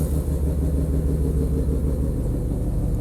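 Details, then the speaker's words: Mazda RX-7 FD rotary warm idle after new AEM IGN1A smart coils and ignition harness replaced faulty fender harness (no signal to trailing coils), coolant leak clamps tightened; steady low rumble, quick even pulse, no misses, premix smoke cleared; running well. "okay arc sevens all done everything seems to be running well let it warm up and shut it off"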